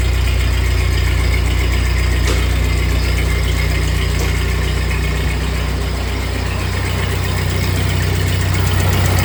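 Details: 1948 Ford 8N tractor engine freshly rebuilt and reinstalled, idling in neutral after a choke start on a new carburetor still needing work: deep, steady putter at about three beats per second, even and unbroken with no misses. Normal idle; a leak noted.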